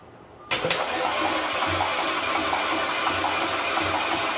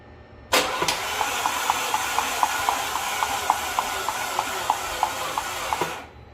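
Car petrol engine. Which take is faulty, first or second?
second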